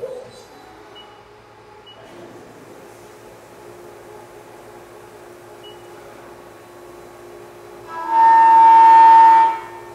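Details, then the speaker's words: CNC milling chatter demonstration: quiet shop hum, then a loud piercing ringing tone as the cutter engages, from an unstable cut. A stable cut is made afterwards for comparison. "okay so the cut we heard there was unstable that was chatter"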